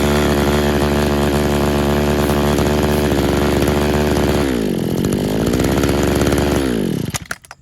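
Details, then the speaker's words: Used RedMax two-stroke edger on non-ethanol fuel with Sea Foam: a high buzzing run that sags, wavers in pitch and dies within seconds. It bogs and stalls; owner suspects a clogged carburetor jet. "he kills it pretty quick"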